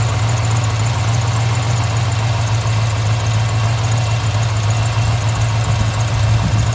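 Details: 1995 Impala SS with Blueprint crate LT1 355 and LT4 hot cam, most exhaust leaks repaired: deep lumpy idle with even loping big-cam beat, no exhaust puffing or ticking; sounds healthy.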